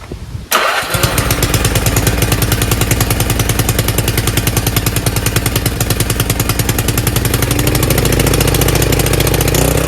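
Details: Craftsman RER1000 riding mower after a new fuel filter and a battery charge, oil slightly overfilled: starts instantly and settles into an even, quick, steady chug of about 2.5 beats a second; normal running.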